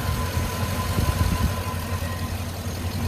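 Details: 2005 Chevy TrailBlazer during a no-start diagnosis: low steady idle with an even beat, no misses or knocks; running normally.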